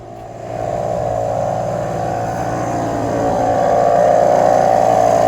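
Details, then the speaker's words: Mercedes-Benz S500 daily driver, heard outside while raising the suspension: loud, steady buzzing hum that grows slightly louder from the worn air suspension compressor, to be replaced with a remanufactured unit. "right there this is not exactly how quiet a Mercedes-Benz should be and the air compressor is somewhere in there so I just have to replace it with a brand new one"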